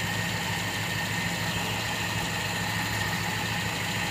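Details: Toyota Kijang that would not start because of a burnt-out ignition coil, now running: steady, even idle with a constant hum and no misses or knocks; normal idle.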